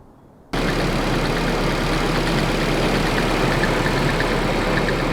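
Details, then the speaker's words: Nissan 240SX KA24 engine starting and idling with a constant metallic rattle, apparently from the upper timing chain area; still present after replacing the upper timing chain guide and fitting a new upper tensioner on a Nissan tech's advice. "it's a funny joke but this was not a laughing matter the rattle was still very very much there"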